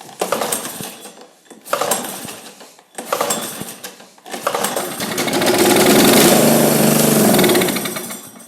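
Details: Kawasaki FC150V engine on a John Deere 14SE mower, fuel poured down the intake: a few cranking bursts, then it catches about four seconds, swells and dies, running only on that fuel.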